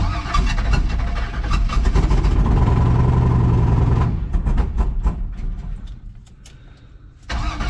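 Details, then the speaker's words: Chevrolet C10 in cold winter weather, hood open: cranks, catches and revs, then drops to an uneven lumpy idle; owner thinks it's not hitting on all cylinders, cause unconfirmed. "so I can't really close the hood I think you can hear that uh definitely seems as if it's not hitting on all cylinders not a lot of room to spare here"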